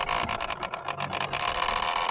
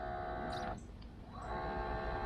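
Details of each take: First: Minn Kota trolling motor steering gear drive, the unit turning the motor side to side, working to one side only: uneven whirring grind that chatters and cuts in and out as it steers; the gear drive is failing. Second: Minn Kota trolling motor after replacement of the steering gear drive unit that turns the motor side to side: short runs of soft, steady hum starting and stopping cleanly, no grinding or clicking; working normally.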